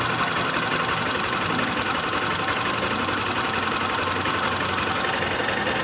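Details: Honda CG Start 160 single at idle: busy, irregular ticking rattle about three per second over exhaust beat; abnormal engine noise, cause not identified.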